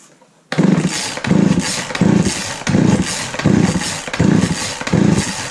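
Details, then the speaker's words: Craftsman 3.7/Poulan 3700 chainsaw after fitting a new eBay carburetor and fuel line: revs surge and sag about every 0.7 s, bogging on throttle with a high idle; L, H and idle screws need adjusting. "all right so so it's running but it's not very quite right so when you give it gas it was kind of bogging out plus the idle was high"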